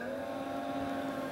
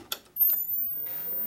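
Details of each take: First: Robotron A5120 computer after power-up via its soft-controlled power supply: a steady cooling-fan whir with no rattle or scraping that then turns down in speed, normal fan operation; one power-supply LED stays unlit. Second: Robotron A5120 computer monitor at power-on, pot previously broken and patched: falling hum settles into a steady, thin, very high flyback whine; no picture on screen, cause unknown.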